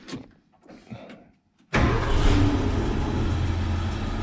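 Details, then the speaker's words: Ford F100 with fuel leaks being fixed, new hose fitted but return line above fuel tank still dripping; near silence, then engine catches at once and settles into a strong steady low rumble, starts and runs well. "but anyways it's running really good I can crank it up for you guys real quick let's see"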